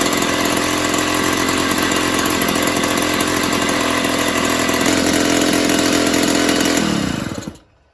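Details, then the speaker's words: 1970s Puch Maxi E50 50cc two-stroke moped engine bench-started with parts missing, first time running, carb leaking slightly and needing clean and tune; steady buzzing tickover, even for about seven seconds before dying away: normal idle. "but i managed to get ticking over of sorts so that's all i really wanted to do"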